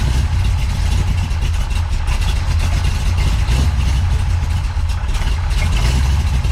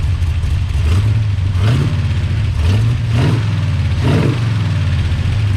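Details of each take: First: Big-cam big block Chevy with rebuilt Holley 750 double pumper, drilled throttle butterflies: deep, lumpy, loping idle with uneven low pulses; large cam valve overlap gives low vacuum so too little air flows through the carburetor to idle properly. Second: Big-cam big block Chevy with rebuilt Holley 750 double pumper, after idle mixture and timing tuning, cooling fan temporarily rigged: deep, even V8 burble with clean quick throttle blips that rise and drop back without stumbling; best it has run in a long time.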